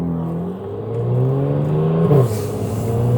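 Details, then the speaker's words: BMW F80 M3 driving through a neighborhood spot where the tires always rubbed before the fix: engine pulls smoothly through turns with no scraping or rubbing; tire rub fixed. "This spot right here, I always rubbed coming up to this. Oh, no rubbing, no rubbing."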